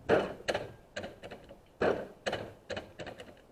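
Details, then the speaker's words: Lawn tractor with upgraded electric fuel pump and pressure regulator, key on after sitting all winter: sharp clicking ticks in bursts that spread apart as the line fills; normal pump priming. "I can hear the fuel pump kick over"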